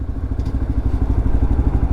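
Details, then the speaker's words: Lexmoto LXR 125 motorbike at about 1,000 miles, running after the old exhaust was refitted with sealant cleaned off: low, even single-cylinder thumping with a loose clatter on each beat; rattle persists, owner concludes it is not the exhaust, source unclear. "so it's not my exhaust what's annoying is i shouldn't be having to do these things"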